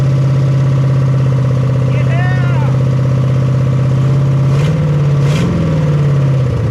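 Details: 1975 Chevy Nova V8, freshly started after sitting 35 years: settles into a fast, steady lumpy idle with open-header rumble, held high by uncapped vacuum leaks needing caps.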